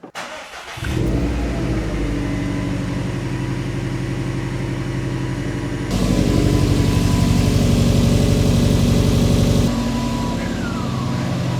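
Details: 2014 Subaru WRX STI just after an oil change, started on ramps to check for leaks: brief crank, then catches and settles into a steady, even boxer idle with a short rise in revs; normal start and idle.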